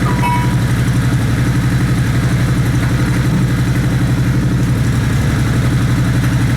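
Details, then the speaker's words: Suzuki Boulevard C90 V-twin with loud aftermarket pipes and a Power Commander fitted to cure popping; deep loping idle, a steady potato beat about three a second with no pops or backfires, normal idle. "but that eliminated my problem with that popping I'm pleased with that and throttle seemed a little bit more responsive than it were you know"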